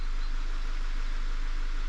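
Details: Audi A6 C7 after engine and gearbox repair work, errors cleared and oil level fine: a smooth, even, low idle hum with no knocks, ticks or hunting. The engine sounds healthy.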